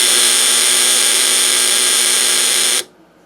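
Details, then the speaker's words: Snap Circuits project 588 noisemaker, relay connected directly across 6 volts via press switch: harsh steady high buzz about three seconds then stops dead; contacts chattering rapidly like a buzzer, as intended. "And then we can make the relay contacts open and close a lot faster, producing a different sound by directly connecting 6 volts across it with our press switch. So it makes it sound like a buzzer instead."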